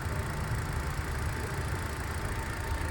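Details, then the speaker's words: Used car on a pre-purchase check in Chennai, idling before the A/C is switched on: steady, even low hum with no knocks, misses or rattles and a faint constant tone; vibration and beat judged excellent. Normal idle. "ஐட்லிங்கை பொறுத்தவரையில் இந்த vibration sounds, அதோட beat, இது எல்லாமே வந்து சூப்பராக இருக்குது."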